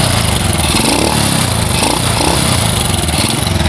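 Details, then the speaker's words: Honda Supra Fit motorcycle, owner complains noisy and lacking power; busy clattery running with rough low thrum and rattly top end; mechanic suspects worn piston rings, slightly loose cam chain. "disini temen-temen perkiraan saya Hai jelas bagian ring Piston sudah kena Ayah sudah aus ya dan juga bagian rantai kamrat juga agak kendor"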